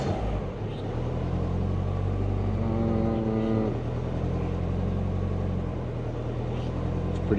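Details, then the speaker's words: Subaru Forester on a Haltech laptop tune with O2 control on, O2 PID settings being adjusted: after a throttle blip the hum swells and sags slowly without holding a steady note, then settles back. Idle hunting. "Still hunting. There, we're back."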